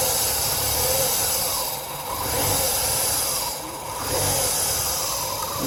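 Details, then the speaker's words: 2003 Mazda 6 2.3L with idle surging and stalling, codes P2187 and P2177 lean: steady airy sucking hiss at idle, a vacuum leak from a torn PCV valve hose under the intake manifold. "we can pick it up on the video but there's quite a a sucking sound you're familiar with a vacuum leak sucking air"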